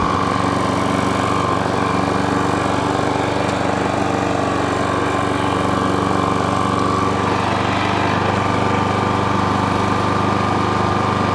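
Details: Self-propelled lawn mower running with the drive engaged, after its drive cable adjustment. Steady, even engine drone at constant speed with a faint whine; the drive is still a bit tight and possibly has a new belt. Normal running.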